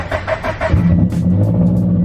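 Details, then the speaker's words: Subaru BRZ? Unclear which car; only state: warm start after opened-up exhaust, no tune yet. Brief crank, catches into steady deep idle, no rev flare; normal partially-warm start, unlike cold starts that rev then drop to idle (owner suspects missing tune). "And then when the car's partially warm, it starts just normal."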